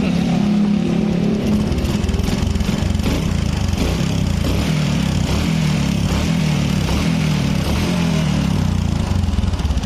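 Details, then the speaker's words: Carbureted older Honda Supra X 125 after a new bore, new valves and a new cam chain tensioner: a rapid, busy tappet clatter at low revs that persists at high rpm, from excessive valve clearance. "RPM bawah mau RPM tinggi ini suaranya tetap ada"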